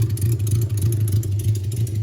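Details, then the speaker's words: 1982 Suzuki GS650 Katana with cleaned carbs, warming at idle: a lumpy, uneven idle that dips and stumbles as a couple of cylinders load up and miss; the bike tends to bog with black smoke and die, cause unknown. "so it's idling and it seems like it's loading up a lot like it did on a couple cylinders there"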